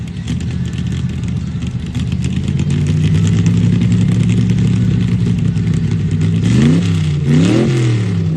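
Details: Uneven, stumbling idle with an irregular low chuff and a couple of ragged-sounding throttle blips: an engine misfire.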